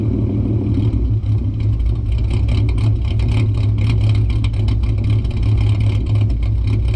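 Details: 2008 Ford Mustang 4.0 V6 with idle chop mod via switchable EGR-line vacuum leak, in drive: steady low idle with uneven choppy lope, sounds cammed; lumpy idle from deliberate vacuum leak.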